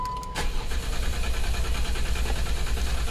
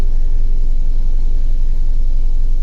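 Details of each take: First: 2011 Jeep Wrangler 3.8L with a misfire and codes P0340, P0344 and P2305, despite a new coil pack, injector and plugs: idling after codes were cleared, steady low rumble, no skipping, no dead cylinder heard. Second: 2011 Jeep Wrangler 3.8L with codes P0340, P0344 and P2305, still misfiring after a new coil pack, injector and plugs: deep, lumpy idle rumble with an uneven beat. It shakes badly; injector pulse width looks good and the cause is not yet found.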